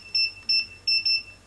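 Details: Godox SK400 II studio flash repaired after a sudden total failure, powered up on test, gives four short, high, evenly spaced beeps, signalling it has recycled and is ready normally.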